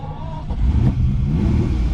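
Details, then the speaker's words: Ferrari 365 GT 2+2 that lost power while driving, starting after running the electric fuel pump: the engine catches and rumbles unevenly and lumpily, with its carburetors possibly starved because the electric fuel pump is suspected of giving too little flow. "give it a few more seconds it should have filled by now but I suspect that this fuel pump is just not running enough flow we may have to just put a new fuel pump in anyway"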